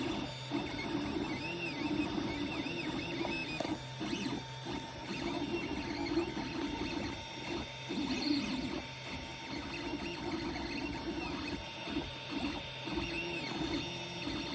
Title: Weird Noises from my Ender 3 pro